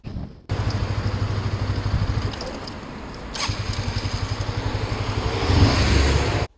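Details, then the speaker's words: Honda CBR125 that cut out on a bumpy road, restarts and revs normally in neutral: burbles and revs evenly then cuts dead instantly when put in gear, as if side stand down; fault traced to side stand switch wiring. "Dies, completely dead. Put it back in neutral again, fire it up, brilliant. Put it in gear, dead. So, it's almost like you've left the side stand down."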